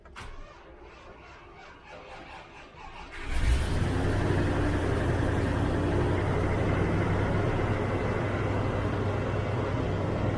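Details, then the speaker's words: 1993 LSE V8 cold start in the morning: brief crank, then a busy raised idle with no dip, fast idle set a bit too fast when cold but settles down; timing to be checked once warm. "that's what i mean about the um fast idol it's a bit too fast on a cold start and it does settle down it's not horrendous"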